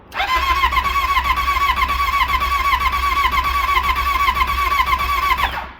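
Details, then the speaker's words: Yamaha Apex four-stroke snowmobile on a booster pack, donor for a motor swap, dipstick full of oil. It catches at once and holds an even, steady idle for about five seconds before shutting off. Normal start and idle. "sounds like a Ford right well at least we verified that that one does run"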